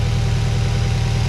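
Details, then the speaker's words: Subaru idling smoothly with no hiss, whistle or audible vacuum leak, checked after an earlier hissing while driving. The engine idles normally. "well boys and girls i don't hear anything i don't hear any hissing or anything like that or any audible vacuum or air leaks"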